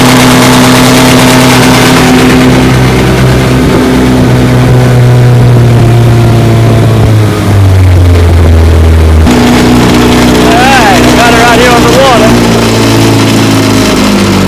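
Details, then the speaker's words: 1954 Johnson QD-15 10 HP outboard after restoration and after tightening the lock nut: strong steady drone, pitch rising and settling smoothly with throttle, no sputter or surging; runs great, slight hood rattle. "Runs good. I'm talking about great. Idle's good. Got a little hood rattle. Not bad, a little bit."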